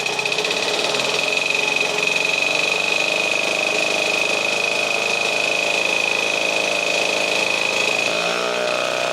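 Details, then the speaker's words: 1952 military DC generator running with adjustable voltage output, ammeter stuck near 9 A (possibly damaged by miswiring): steady, even buzz with constant high whine, no misses or knocks, governed speed; normal running. "decrease and the engine's going to pick up speed or decrease not pickup speed is it'll slow down as we lower the voltage"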